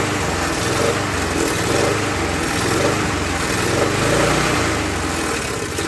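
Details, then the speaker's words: Murray mower, Tecumseh engine replaced by Briggs, after priming: small single sways up and down every second or so at idle, hunting surge; owner suspects fuel starvation, plans another carb cleaning. "So, not getting enough fuel. We'll have to adjust the car, I guess. Well, not adjust it. We'll have to give it another cleaning."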